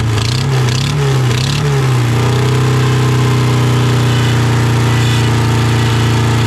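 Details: Honda Civic sat about 10 years, first start attempts: engine hunts and wavers for two seconds, then a steady but lumpy note consistent with a cylinder misfire; owner feared a stuck injector.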